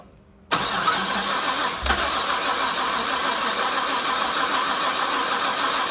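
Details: Harrop supercharged LS1 cranks steadily at about 3.5 beats per second but never starts. Earlier crank position sensor fault code; new sensor ran it for half an hour, then backfiring and stalling. Fuel replaced; rail pressure 60 psi cranking, no check engine light.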